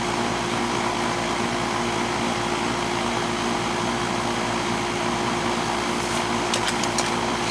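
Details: 3.5-ton R22 central AC condenser after the charge was adjusted to about 15 subcooling. An even fan whoosh over a low steady compressor hum, with no rattles or cycling: running normally.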